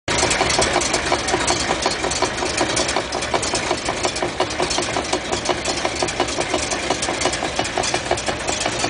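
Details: 1956 Chrysler New Yorker on stands, engine running with a sharp, regular ticking knock about three a second from the drivetrain; unidentified, recorded at trunnion side and rear axle side.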